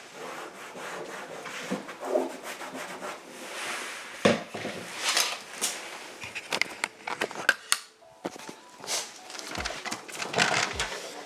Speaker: It's like sanding the car.